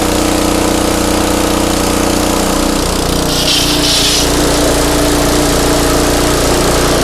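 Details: Craftsman pressure washer, 5.5hp Briggs and Stratton Intek 190, gifted with run issues: loud, busy small-engine drone shifting pitch midway then settling, steady beat, no misfire after repair; run about 10 minutes to warm oil; normal running.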